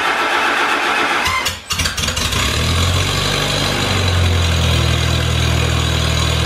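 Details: Farmall Super A tractor, cold restart after sitting, following ground and wire repairs that restored spark: a few cranking turns, then catches and settles into steady even low idle, no misses or knocks; normal start.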